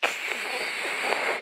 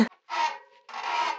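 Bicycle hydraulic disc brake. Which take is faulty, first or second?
second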